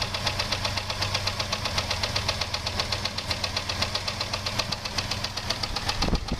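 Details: 2001 Jeep Grand Cherokee 4.0 straight six at idle: a steady, sharp knock about four per second that appeared suddenly after a brief park. Loudest at the exhaust manifold–engine joint; valves and belt-driven parts ruled out; oil level and pressure fine; advised not a rod; cause unknown.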